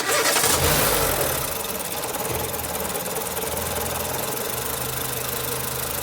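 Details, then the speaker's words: Nissan Platina after the coils were reconnected: engine cranks, catches quickly and settles into an even idle with no misfire stumble; a slight shake remains, said to be typical of these engines or possibly worn mounts. "se escucha bien entonces pues la prueba tiembla pero prácticamente se podría decir que estos motores así son"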